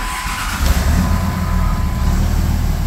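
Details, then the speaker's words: 2004.5 Ram 3500 diesel starting after starter replacement, previously slow to start; short quick crank then catches into deep steady rumble, fastest start in 4 years of ownership; normal diesel start. "I don't think I've ever seen this truck fire this fast in the 4 years that I've had it. It sings now."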